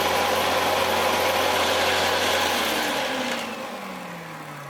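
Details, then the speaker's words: Hitachi Powerhouse CV-460D 600 W upright vacuum, reclined, after fitting a slightly thinner brush roll belt: steady high whirr with light rattle from loose flapping wheels, winding down smoothly; normal running. "And a lot of that is these wheels flapping around. That sounded quite smooth."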